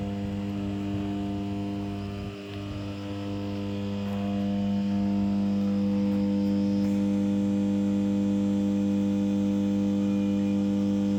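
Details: 500MVA 400/230/33kV interconnecting auto-transformer in a 400kV substation: steady low electrical hum with strong buzzing tone, normal energized transformer sound.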